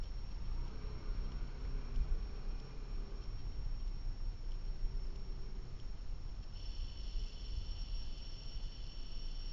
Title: Blackvue DR750x -2ch lte plus humming noise